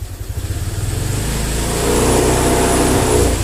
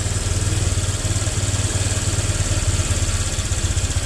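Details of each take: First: Honda Vario 125 injection (Vario Techno), idles normally but revs sag and stumble when throttle is cracked open, then pick up late; hesitation traced to an altered throttle spring making the throttle too light. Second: Honda Vario 125 injection scooter after the throttle-delay fix, with everything reinstalled: steady, even low throb at idle, no hunting or stumbling, revs rising and returning properly; normal idle.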